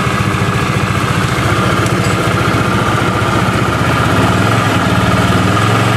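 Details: Honda Vario 110 scooter that stalled after short rides; after oil change and coolant refill: steady, even idle at about 220 pulses a minute, no hunting or misfire; runs smooth.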